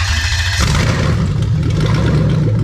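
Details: Lexus 3UZ-FE VVT-i V8 on a new ECUMaster Black standalone harness, straight exhaust, first start: brief crank then fires straight into a deep, steady, loud burble, no misfire, warning lights out; clean normal start.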